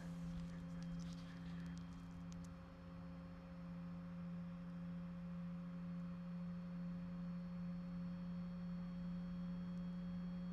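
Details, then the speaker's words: 2025 Chevrolet Silverado 2500HD with aftermarket LED headlight bulbs, lights warmed up, truck idling, microphone near the headlight: faint steady hum from the bulbs' internal cooling fans, normal. "I'm not sure you guys can hear that, but there's a slight humming coming from these fans inside. It's a little bit louder now."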